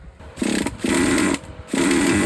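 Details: Used Traxxas T-Maxx 2.5 nitro engine, fuel tank confirmed sealed, idle screw at minimum and carburetor fully closed: short fast buzzy bursts whose pitch never settles low; idles too high, owner suspects an air leak.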